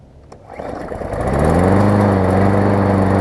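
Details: New Murray push mower repaired after shipping damage (cracked block, bent deck, broken pull rope and bracket), warm start: catches within a second into a smooth, even beat, blade no longer hitting the deck; normal running.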